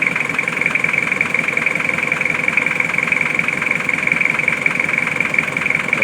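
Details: Car with a no-start problem, after battery repair and charging to about 13.5–13.9 V: engine settles into an even, steady idle with a constant high tone, no misses or knocks; sounds healthy.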